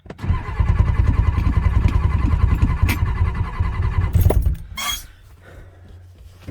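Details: Ford 6.9 IDI diesel dump truck with new high-torque gear-reduction starter, given starting fluid: steady cranking at about 2.5 beats per second that never catches; no start.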